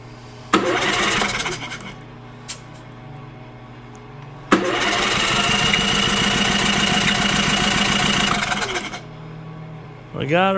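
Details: Champion 4500 W dual-fuel inverter generator that came in not running, after repair, electric start: brief crank, then catches and runs steady and even for several seconds before shutdown; normal start and run.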